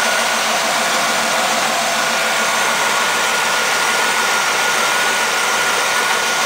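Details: Firebird LT1 V8, under 100,000 miles, just jump-started after sitting 6 months with weak battery: steady, even idle with smooth hiss-like hum, no knocks, misses or surging; normal idle.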